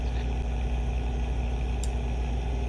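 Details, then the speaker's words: Acer Nitro 5 laptop CPU/GPU cooling fan at idle; low steady rumble with no rhythm, louder as fan rpm rises; fan wires found contacting the blade, fans replaced. "two the obvious one would be noise such as this it sounds like a small rumble when the pc is idle"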